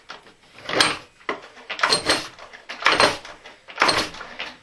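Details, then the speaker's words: Stihl MS880 chainsaw that suddenly began clattering on startup, decompressor pressed: four pull-starts, each a harsh clattering rattle as the engine turns over; something suspected loose, cause not yet found. "That doesn't sound very good at all. Investigation required."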